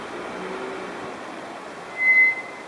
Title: RAUB BRAKE NOISE